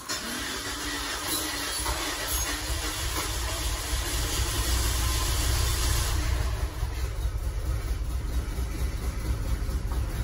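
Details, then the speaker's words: Peugeot 406 petrol engine idling unevenly with an irregular, stumbling low rumble; cylinders 1 and 2 show no compression and injector swaps make no difference; head gasket blown between cylinders 2 and 3, likely from overheating. "jadi kompresinya dari dua ketiga makanya pincang karena pastinya jebol"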